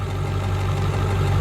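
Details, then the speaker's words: 2002-2003 Ford 7.3 Powerstroke diesel after injector shimming, running outside: deep heavy idle with uneven, lumpy skip; one injector suspected not hitting (dead cylinder or dirty injector unconfirmed); exhaust leak at manifold-to-turbo up-pipe also noted. "got it sitting here running as you can see uh it still feels like it has a little bit of a skip to"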